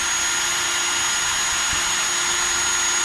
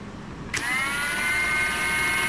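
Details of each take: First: Ridgid R86211 Octane 18V impact wrench with an intermittent slow-speed fault, on the old 9 amp Octane battery: a steady, high, even whine holds at full speed for about 4.5 seconds, then winds down cleanly. Normal full-speed run. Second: 2023 Ridgid 18V R86211 Octane impact wrench with an intermittent fault: the motor spins up to a steady high whine with no hammering and stays at slow speed whatever the Auto or speed mode setting. Tested with different batteries; cause unknown.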